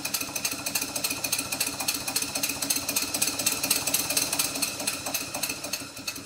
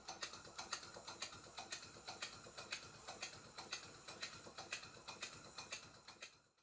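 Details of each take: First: Rebuilt Stuart Twin Victoria model steam engine, still stiff and running in, at low speed: light, fast, even ticking, three or four a second, from play at the connecting-rod fork on the crosshead and big-end side play on the crankpin. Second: Stuart Twin Victoria miniature steam engine, kit, rebuilt and running in, after cotton was wrapped around the crank pin end as a temporary fix for tapping: soft, even ticking about twice a second with no sharp tap; normal smooth running.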